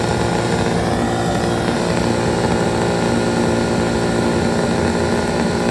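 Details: Two-stroke 8V71 Detroit Diesel V8 from an old tour bus, fuel racks tied at full fuel, held in deliberate full-blown runaway with a constant screaming roar at full speed; a water hose is to be fed into the blower.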